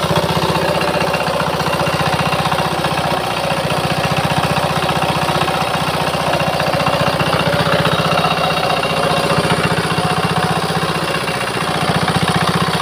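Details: Old Changhuang R175A single-cylinder diesel after complete restoration and repair, first start: steady even chugging at fast idle with no misses or knocks; runs smoothly, normal.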